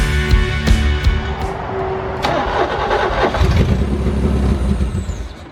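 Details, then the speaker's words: 1985 Pontiac Fiero kit car, Ferrari Testarossa replica, abandoned 15 years; vacuum leaks fixed, muffler and clogged cat removed, grounds checked and new ground straps fitted: cranks, catches, idles unevenly a few seconds, then dies. Stalling unresolved. "I don't know. Well, I tried. Just idles and stalls out."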